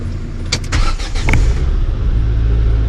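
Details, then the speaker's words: Mk2 Ford Mondeo being revived, fuel pump wired directly to a battery because the car cuts pump power: a few cranks, then it catches and settles to a smooth, deep, even idle; pump, engine and ignition all work. "what do you know with power directly to the the pump that thing CS like a kitten that is as sweet as you like"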